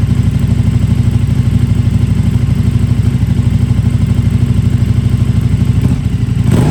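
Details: KTM RC8R with a swapped-in 2020+ 3rd-gen 1290 Super Duke engine and electronics, first start: strong, even low-pitched beat around three pulses a second with a brief rev blip near the end; clean, healthy idle and revving.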